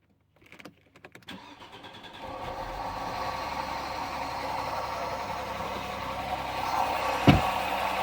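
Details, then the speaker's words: 1996 Audi 80 Coupe 2.6 V6, unmoved for 15 years, on stale old fuel with the air cleaner off, in neutral: a few cranking turns, then it catches and settles into a steady, slightly rough idle. Now running; the owner later suspects tappets, an exhaust leak or a stuck valve. "alive sounds great it's happening at this end"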